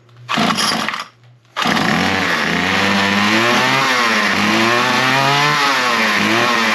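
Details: Small trimmer started on half choke as fuel came through: it catches after a couple of pops, then revs up and down with a clean, crisp buzz and no stumbling. It needed no repair and runs fine.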